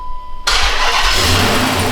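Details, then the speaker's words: Dodge Magnum R/T V8 started after cleaning IAT sensor and new MAP sensor O-ring: cranks and catches, harsh high screech over uneven, dropping idle; slipping belt squeal, check engine light returns with P0108 MAP circuit high. "We got a belt squeal, but we got a check engine light again. Really? Yeah. It's kind of like dropping an idle."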